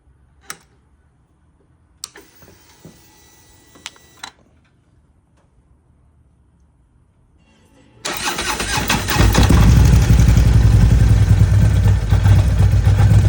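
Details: 2013 Harley CVO Ultra Twin Cam 117 SE, warm startup: quiet for several seconds, then V-twin fires and runs with fast, even ticking over idle; lifter noise with no oil pressure on the gauge.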